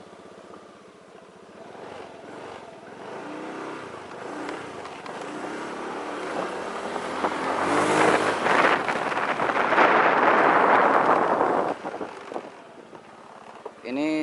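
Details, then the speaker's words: Honda Beat scooter road test after replacing clutch linings with Suzuki Nex parts and other CVT parts to cure a drone when easing off the throttle: smooth rising then easing engine note, drone gone, better pulling power; normal CVT operation. "mendengungnya udah ini ya udah nggak ada maaf ini speedometernya mati"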